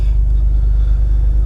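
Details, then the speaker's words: 2000 Jeep Wrangler TJ starting in cold weather after fixing a no-crank fault (suspected bad starter), battery reconnected: deep, steady low rumble with an even beat, no knocks or misses; starts and idles normally. "moment of truth let's see if it starts oh yeah we got our Jeep back guys oh what a relief"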